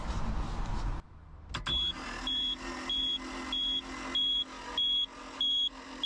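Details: 2001 Reinell ski boat that had sunk, with fresh oil and spark plugs and water still in the fuel system: the starter cranks in an even churn with a steady beeper pulsing over it, and the engine turns over but never fires.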